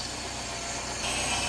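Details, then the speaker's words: 1989 Citroën CX 2500 GTi, off road since about 2007, at idle around 75° coolant: loud steady airy hiss growing louder; owner unsure if it is just the intake, plans smoke test. Intake sucking noise. "could also just be the intake sound we can hear sounds a bit"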